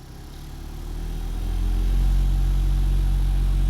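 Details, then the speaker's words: Honda Element cabin blower motor, mic near the blower, spooling up into a deep, throbbing rumble louder than normal with vibration. The cause is debris (a paper scrap) caught in the fan. "do you hear that Rumble let me get that mic a little bit closer to the blower mode"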